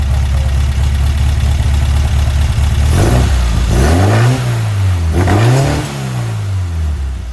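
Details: Weber 44 IDF carburetor on a Herthing, with idle jets just resized: settles into a steady, even idle, then two quick revs swell and drop back. Throttle hesitation is attributed to main jets that are too small, to be sized up.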